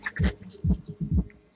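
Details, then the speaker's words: Powerus PW8000 car audio amplifier on the repair bench: with the gain turned up, deep bass thumps come through in a beat-like pattern, a few per second. It now produces normal bass; only two transistors, not clamped down, but not heating. "Ah, et lui, il est à fond là. Voilà. Là, il y a des basses."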